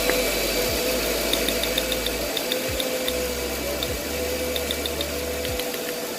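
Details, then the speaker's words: 2008 Mercedes CLS500 V8 with P0300 and a cylinder 1 misfire: uneven, stumbling idle with an irregular miss; no spark heard from the coil. "I hope you guys can hear that. I do not hear a spark from this coil as well."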